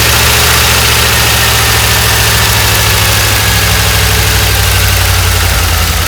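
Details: 1988 Dodge Ram W150 4x4 with TBI injection, first run after long storage with the fuel gauge below empty. Steady, even run with a constant low drone and no knocks or misses; fuel pump working, noise normal for this engine.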